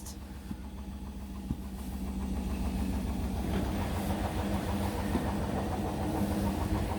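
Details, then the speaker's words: Indesit BWE101683 washing machine, Daily Quick 60 final spin at max 1000 rpm with a load of towels. A rumble builds as the drum speeds up, with heavy rhythmic thumping about three beats a second; extremely unbalanced spin shaking the machine and floor. "oh no the whole floor's shaking as well as the whole uh washing machine shaking as well that's getting very unbalanced now"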